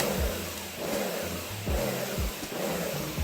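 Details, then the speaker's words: Sun Joe SPX3000 electric pressure washer (14.5 A, 2030 PSI): the motor drone surges and dips every half to three-quarters of a second after being operated too fast. The pump pulses at very low pressure. "Real low pressure."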